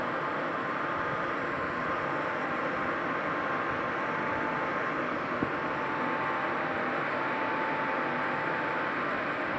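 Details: IQAir air purifier after 10 years of use: steady airy fan rush with a thin constant whine near 1 kHz, after weeks of worsening squeaks; still filtering air, but the fan motor is wearing out.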